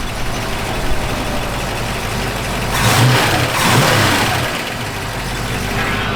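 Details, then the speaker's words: 1965 Ford Mustang K-code 289 HiPo V8, HiPo solid lift camshaft, factory 4bbl, H-pipe dual exhaust: throaty V8 revving with light even valve tick underneath; normal solid-lifter valvetrain noise. "Solid lift camshaft, you can hear that working."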